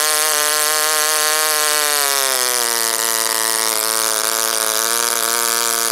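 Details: OS Wankel rotary on 5% Omega fuel with extra castor and a 10x4 APC prop, run after cooling from overheating: high scream sags after two seconds and settles lower, not holding high rpm.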